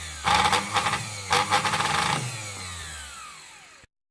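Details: Singer 431 sewing machine, just arrived with shipping damage and play in the drive worm: motor runs in rough rattling bursts then coasts down with falling whine; abnormal motor noise, owner has narrowed down the cause but motor is stuck in place.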